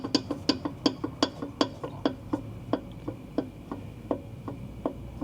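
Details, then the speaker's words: Tesla Model S front control arm rocked by hand: sharp hollow clicks about three per second. These come from a worn ball joint that caused a rattle over bumps, which new sway bar links did not fix. "you remember this car always had a rattling noise going over bumps and I changed the uh sway bar in links in hopes that that was going to fix it"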